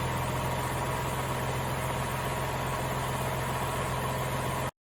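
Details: Nissan Fairlady Z Z33 (VQ35DE V6, automatic) at about 310,000 km, idling after a DIY engine overhaul: steady low idle hum holding an even beat with no knocks, ticks or hunting, so the engine sounds healthy.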